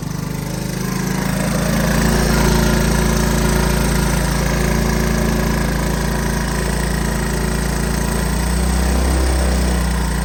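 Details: Honda ATC 185 single-cylinder after carburetor adjustment for hard starting (previously needed starting fluid); steady putter about four beats a second with no misses, exhaust getting hot: normal idle.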